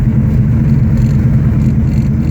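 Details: 1969 Dodge Charger R/T with Hemi transplant, 6-speed: deep, loud, lopey but steady V8 idle burble, no misses; healthy engine, aggressive throaty exhaust.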